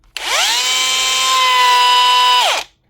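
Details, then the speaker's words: Bosch cordless angle grinder, low on power, smelling and smoking: high whine climbs and holds with a rough scraping edge. The motor rotor is rubbing on the stator inside; bearings still good. "Problem is in here. The motor is rubbing inside. Bearings are still good."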